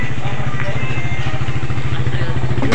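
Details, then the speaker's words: Suzuki Satria FU single-cylinder after fixing a flooding, dripping carburettor by lapping the float needle seat with a matchstick and grinding compound, then refitting: steady, even idle thump with no stumbling or hunting. Normal idle. "Setelah itu kita pasangkan ke motornya kemudian kita tes semoga saja aman ya guys"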